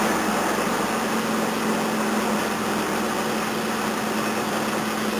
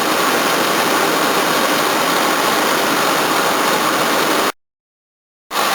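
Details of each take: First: 1981 Toyota Corona RT132R, 18R-C engine, cold start at about 10°, choke on then turned down one stage: uneven, lumpy, hunting idle with a faint tappety edge and the bonnet shaking. Rough running from tight valve clearances; viscous coupling also seems tired. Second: 1981 Toyota Corona RT132R, 18R-C engine, after the tappets were reset with a larger gap: smooth, even, faster idle with no stalling or shaking and a steady water pump whir on top. The chain is still expected to sound unhappy. Normal idle.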